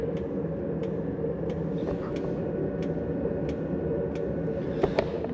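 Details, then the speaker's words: Autoterm Air 2D 2 kW diesel air heater at maximum power after about 35 minutes' running, about 80° shown; sharp, even fuel pump ticks at 90 clicks per minute over a steady fan roar, normal. "Je vais compter : 90 clics par minute ? C'est le cas. 90 clics par minute."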